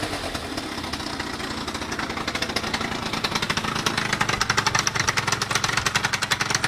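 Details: Two-stroke scooter at idle with a sharp metallic knock that grows louder. No knock at speed, no crankshaft play, new piston kit; the knock vanished once and returned about two weeks later. Cause unknown.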